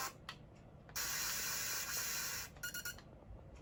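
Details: Switch console making an odd quiet hiss, a long steady rush with short sputtering bursts; cause unknown.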